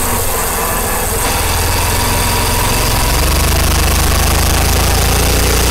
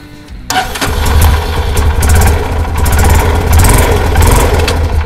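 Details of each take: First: Karizma motorcycle riding on rough road, mic placed near the chain; uneven knocking rattle of three or four knocks a second over the engine from the chain cover loose in its slots. Loose chain cover rattle. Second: Karizma motorcycle after chain properly fitted to cure a body noise: cranks, catches and settles into even idle with a couple of blips; no metallic rattle from the chain area.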